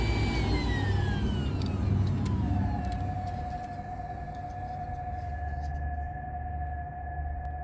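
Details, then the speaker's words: 2004 Mercedes E500 4matic with code P0410, secondary air pump run directly by jumping relay terminals 87 to 30: pump spins up with a falling whine into a steady hum; pump works normally. "And if you jump the wire 87 to number 30, which are the two across ones, then you can hear that mine works just fine."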